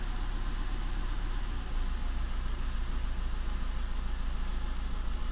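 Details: VW Touran 1.9 TDI diesel idling with an uneven, lumpy beat: cylinder 3 misfire detected, misfire code, faulty injector.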